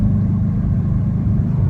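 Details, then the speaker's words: 2008 Subaru Impreza STI hatchback after engine rebuild for spun rod bearing, passed smog, no check engine lights, power steering pump replaced: smooth even low rumble at steady speed, no knocks or stumbles; runs healthy. "the car has been running absolutely great after the engine rebuild no hiccups at all"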